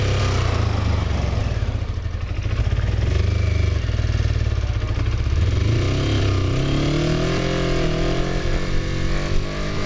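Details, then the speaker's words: Used Kawasaki Ninja 250R being inspected, showing signs of being dropped, started with the choke on. The twin burbles unevenly with a lumpy, wandering beat; runs rough and sounds like it needs a tune-up. "Whoa. This bike really needs a tune-up. This bike sounds sick. Like it's... Something's not jiving there."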